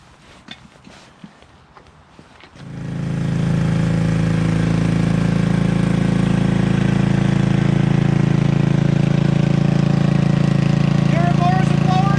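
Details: Toro 58-inch professional 3-gang reel riding mower after repair, including unseized blade PTO; engine catches after handling noise and settles into steady even low drone, no misses or knocks; started, running, driving and mowing: normal running.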